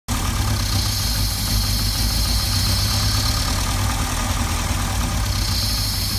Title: Volvo rough idle